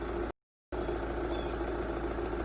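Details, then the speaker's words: 2013 VW Jetta Sportwagen TDI diesel, 180,000 miles, idling just after fuel filter replacement with an OEM-equivalent filter: steady, even diesel clatter and constant low rumble, no misses or knocks; normal idle. "but yeah she's up and running ready for uh some more service this thing's got uh 180 000 miles"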